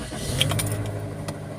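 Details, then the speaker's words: Toyota after clearing igniter code P1315 that made it not start or die after starting: quick catch, then steady even low idle with no stumbling; no dying, no DTC, no check engine light. "it's not dying there's no DTC there's no check engine light"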